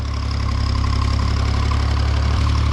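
Steady, even low rumble with a smooth regular beat and no knocks or misses; the tractor engine idles healthily.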